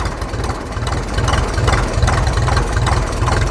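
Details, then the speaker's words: Restored Ferguson TE20 'Grey Fergie' tractor driving on the road, recorded from the seat near the exhaust so it is loud: lazy, even chuff of about two beats a second under a deep rumble with some road rattle; running healthily. "Exhaust is just there, so it's quite loud."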